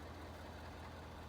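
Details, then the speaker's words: Ford F350 dually truck idling after an oil change with a primed oil filter: deep, steady low rumble with an even beat, no knocking or ticking; normal idle, 5,500 hard towing miles on the old oil. "yeah make sure everything sounds good there's no knocking sounds"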